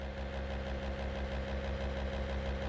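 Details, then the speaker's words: 1963 Corvair with new Racers electric fuel pump, engine off, car on a lift: quiet steady electric hum with a soft low pulse, no leaks, though zero fuel pressure was seen just after. Normal fuel pump operation. "Pretty quiet. Okay. Not seeing any leaks, so I think I'll clean this up and let's get this thing back on the ground."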